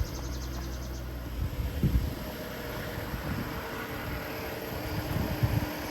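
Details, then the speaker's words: 2010 Ford Flex Limited AWD EcoBoost, odometer nearly 309 thousand, hood open: steady, even low rumble at idle with no knocks, ticks or misses. Normal healthy idle. "pop the hood you can hear it run"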